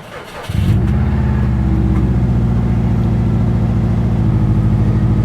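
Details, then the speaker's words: 1986 Volkswagen Vanagon, 109,000 miles, starts without a jump after a brief crank and settles into a steady, even run with no knocks or misses; check engine light is on. "check engine light is on of course sounds good it sounds real good"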